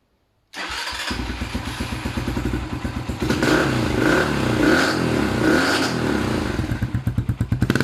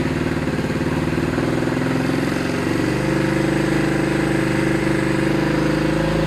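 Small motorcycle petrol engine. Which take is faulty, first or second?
first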